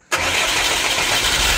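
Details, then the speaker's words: FAW diesel truck previously hard-starting and shaking, after fuel filters full of water and rusty dirt were replaced: engine fires almost instantly and settles into a steady, even run with no shaking. "Ayos na brad kahapon yan nanginginig ayan hindi na"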